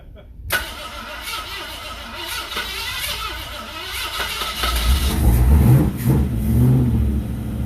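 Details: V8 4x4 wasteland vehicle build, first start-up after wiring, new starter and transmission oil, no radiator or water yet: engine cranks, catches quickly, settles into steady run and revs cleanly with deep even note; normal running.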